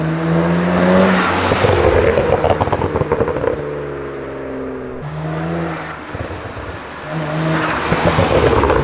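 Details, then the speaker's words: 2009 BMW E90 335i N54 twin-turbo with VRSF dual cone intake, VRSF charge pipe and Tial Q blow-off valve replacing the diverter valves: pulls hard through the revs with a quick whooshing vent on each lift-off; normal blow-off valve venting. "But now that we've got the car all put together, let's go get some outside clips to see blow off valve and charge pipe sounds from the outside, along with driving in the car."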